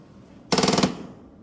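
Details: Cadillac DeVille (Gigapony build) power window after greasing regulators: quick half-second burst of fast, even rattling clatter as the glass starts up, like a regulator skipping teeth; power window grinding.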